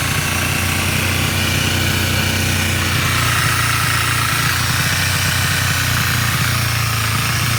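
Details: 2010 Kawasaki Ninja 250R idling on full choke after 10 minutes, first start after a few days: a steady idle with a persistent odd rattle and hiss. The bike also dies at idle and sometimes won't rev. Owner asks if this is normal.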